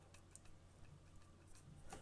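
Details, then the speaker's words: Scratch-built 3D printer Z-axis bracket rocked on its rod: light, irregular ticks and clicks from loose linear bearings with play. A longer LM bearing is planned to cut the wobble. "you hear that that's moving up and down let's just Rock slightly so what I try to do is use the LM al you you a longer version of this bearing and that would eliminate the wobble even at the same tolerance because of its longer length"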